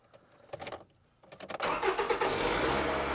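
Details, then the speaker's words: 2007 Toyota Highlander 2.4L after replacing the valve cover gasket, spark plugs, coils, PCV valve and position sensor, plus an oil change. A few clicks, then a short crank that catches quickly into an even idle, starting better than before. "all right turns on better than before"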